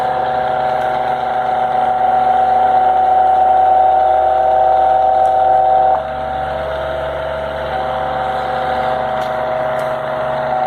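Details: Wall-mounted fan vibrating its hollow-block wall mounting: loud steady motor drone with strong humming tones, amplified by the hollow blocks' acoustics due to poor installation.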